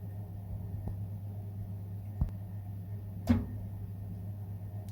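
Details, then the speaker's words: Baxi Combi 133 HE Plus boiler: pump runs steadily, ignition clicks and gas valve opens but burner never lights while fault codes flash briefly; diagnosed as faulty PCB, repeated failed ignition attempts before the replacement board is fitted. "so that was the gas valve opening but what it's doing is doing this flashing as well at the same time so it's trying to light but you got these codes flashing so little just momentarily and then went off so we know this particular fault is a pcb fault"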